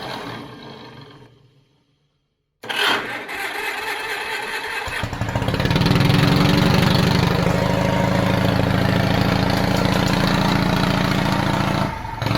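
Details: 1950s Caterpillar D6 barn-find dozer with pony motor, started after the starter was tapped free: brief silence, cranking, then it catches and settles into an even beat of about four firing pulses a second; runs fine; carburetor float suspected stuck.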